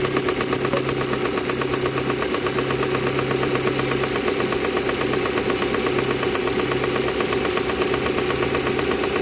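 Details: Proton Campro engine with faulty intake manifold flap (AIFM), fix is manifold adjuster kit replacement; coarse uneven idle with regular rattling chatter about 1.5 per second; causes power loss and high fuel use.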